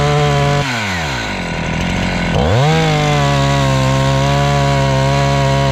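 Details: Husqvarna 268 chainsaw, after repair work for a complaint that it stalls once warm and won't restart (air intake checked, a part replaced): revs drop from a high steady whine as it bites wood, then climb back cleanly without stalling; runs healthy.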